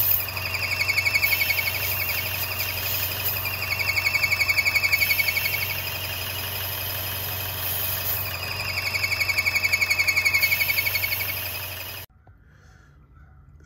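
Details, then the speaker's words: 2014 Chevrolet Cruze 1.4L with fault codes: high whistle over the idle, swelling and fading, and the engine struggles. A ruptured diaphragm is leaking vacuum; it was fixed with a 3.1V PCV kit. "as you heard there is a problem of vacuum uh coming from this pot here so the main problem with these there is a diaphragm here and that diaphragm is ruptured"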